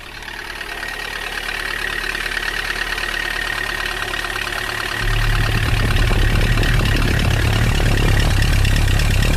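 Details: Engine running cold with a steady rapid knock, about four a second, louder as revs rise; oil starvation from a frozen oil pickup, oil starvation knock.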